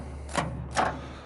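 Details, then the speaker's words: Continental diesel, first start attempt, intake found full of rainwater: two sharp clunks from the starter with no cranking at all; the engine is locked up tight and seized. "I'm uh just out of luck on this one it's locked up tight won't turn over at all"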